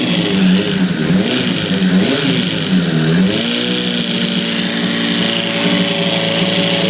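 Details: 2006 Honda CBR600RR revving and settling back, with a steady extra whirring tone over the engine; the same sound persists after the cam chain tensioner was replaced, and the owner is unsure it is real. Source unidentified.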